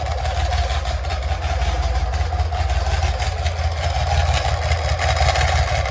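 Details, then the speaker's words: BMW K75 with damaged intermediate housing spring plate: rough, uneven chatter about once a second over the low idle hum, from damaged starter/alternator intermediate (Bendix) drive gears; too bad to ride, gearbox and clutch to be removed for repair. "So as you could hear, it is very bad, and I don't feel like riding like that, obviously."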